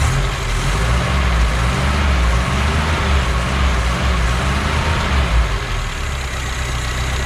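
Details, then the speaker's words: BMW 2002 four-cylinder, sat abandoned since about 2006–2008, running on very old tank fuel plus a little poured-in gas: steady idle with gentle rise and fall, no knocks or ticks; it keeps running, healthy normal idle. "it seems to be running because a little bit of gas i poured in there should just about be gone by now but it keeps on keeping on [Music] i gotta say i'm impressed"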